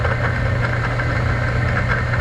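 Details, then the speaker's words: Laars Pennant commercial hydronic boiler circulator pump, water not moving and temperature reaching 200°F: a steady low motor hum with a rough grinding rattle; the motor spins freely, and the coupling between motor and pump is suspected loose. "I think maybe the coupling between here something got loose it's like if you just listen to it it's like grinding it's like grinding in there"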